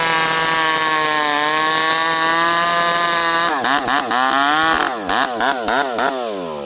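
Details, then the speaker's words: Rebuilt ported 85cc Stihl 064 with new piston, clutch, big transfers and pipe, fitted with a new carb, high jet about 1 turn, leaned into slightly frozen American elm: steady high scream under load, dipping and recovering briefly; runs strong and healthy. "I'm leaning on her pretty good there. This thing pulls hard and it's fast."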